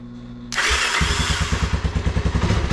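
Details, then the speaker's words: Vintage Honda ATC 250SX three-wheeler under restoration, fuel dripping underneath: fires up first pull and settles into a steady, even single-cylinder thump at idle with no misses; running good. "but man this thing is running good fired up first P when I turned it over"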